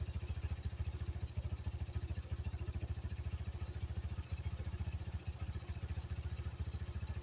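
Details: 1985 Yamaha Moto 4 single-cylinder after swapping the old carburetor for a new one: quiet, even low-thump idle at about three and a half beats a second with no misses or stumbles; owner has never seen it run this well.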